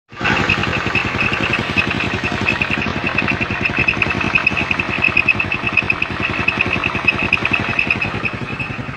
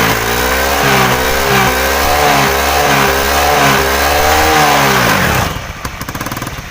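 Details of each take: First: Honda Beat scooter (carbureted or FI) CVT: steady high-pitched squeal over the running engine, traced to a worn, dry driven pulley. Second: Honda Beat scooter after CVT repair: revs rise and fall smoothly, then drop back to idle. The earlier CVT squeal is gone after fixing a loose, dry part at the kick/starter gear area.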